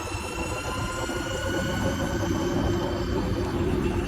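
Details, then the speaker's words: Golf cart with Evo motor, plastic cover on the battery/controller: steady high whine over tyre and road rumble while coasting under motor braking; whine on deceleration and acceleration, oscillating on and off with the throttle, cause unknown. "it's the same issue, noise on deceleration, but this one also makes noise on acceleration too. Not a normal whine, you'll actually hear it oscillate on and off."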